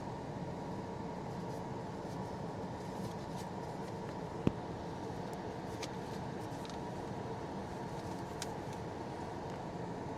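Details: 2015 Ford Explorer with engine running, after HVAC mode door actuator replacement: steady, even rush of air from the face vents over a low engine hum, with one small click; the blower is moving plenty of air normally.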